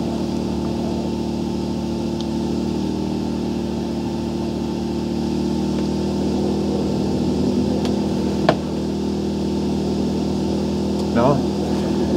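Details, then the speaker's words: Portable generator (marked 0.8 kW, possibly about 0.7 kW continuous) powering one charger at about its maximum load: steady, even hum with no hunting or sagging; runs normally. "Teraz jedną tą podłączyłem ładowarkę i pracuję nadal. No tutaj będzie ten to będzie takie maksymalne obciążenie,"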